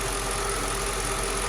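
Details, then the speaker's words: 2006 Mercedes CLS500 (C219) V8 after replacing two faulty coil packs that caused misfires: steady, even idle with constant low rumble, no misses; runs smooth, valve cover gasket leaking oil onto exhaust manifolds. "All right, so the car runs smooth too. I'm happy about that. It was just 2 coil packs."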